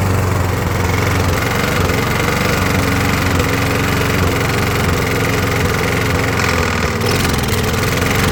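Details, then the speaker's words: 20–25-year-old Briggs & Stratton push mower after carb clean, new carb gaskets and a new head gasket: it chugs low and lazy and never reaches full rpm, with occasional stumbles from a miss. Cause unconfirmed. "Just see if she'll start and come up to idle speed. Heat. Heat. Doesn't want to come up to speed still."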